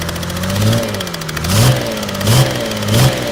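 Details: Mercedes OM606 diesel on test run, idling and blipped: uneven repeating zup-zup tap following engine speed from cylinder 3 intake valve area; owner suspects a stuck hydraulic lifter, unconfirmed.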